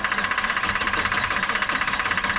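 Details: 1984 Chevy truck with a 454, dead for two years, after the distributor was reassembled: rapid even starter chugging at about 13 beats a second, never firing. An ignition module is suspected, not confirmed.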